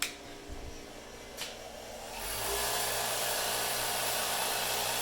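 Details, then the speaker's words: Bench grinder on a pedestal, running after a rubber truck floor mat was added under the pedestal as a vibration dampener: steady even hum with no wobble or knocking, noticeably quieter and no longer walking on the concrete floor. "only is it noticeably quieter it's not it's not walking around on on the concrete floor"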